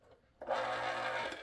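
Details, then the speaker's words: Old electric can opener running unloaded with its housing refitted. A steady gear whir with a buzzing hum, noisier than it should be; the housing amplifies the gear noise, which is louder still when it is under the stress of opening a can. "it's not as loud as when it's under stress of opening a can but it certainly is a little bit louder with the housing and I think with the stress and in the housing it makes a big difference"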